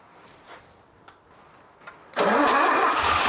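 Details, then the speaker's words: Mercedes 250 (W114) parked for decades: earlier attempts had key off; with key on and gasoline poured in, a few faint clicks, then it catches at once and settles to a steady, even run; starts and runs. "yes we got it it runs it's amazing what having the kion will do hey this is good she runs baby"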